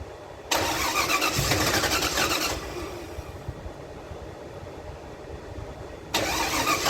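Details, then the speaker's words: 1975 Datsun 280Z with swapped 358 small-block Chevy V8, Megasquirt 3X ECU: starter churns in two bursts, turning steadily but never catching; no-start from wiring problems. "all right time to get you guys caught up there has been a lot of diagnosing going on with the car uh the biggest thing is actually wiring"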